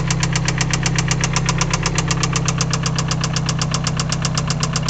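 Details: Nissan 260Z with SR20DET swap idling: sharp, fast, evenly spaced metallic rod knock over a low rumble.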